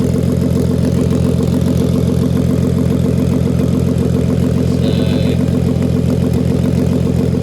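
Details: MK5 VW Golf R32 Turbo at idle, manifold refitted without a new gasket: regular puffing tick about three per second over the engine, between head and exhaust manifold; exhaust manifold leak, reseal planned once cooled.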